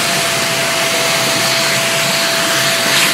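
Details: Greenote corded AC stick vacuum (18 kPa, HEPA, bagless), sucking in crumpled paper: strong steady high-pitched motor whoosh, no rattles or pitch drops; plenty of suction, normal.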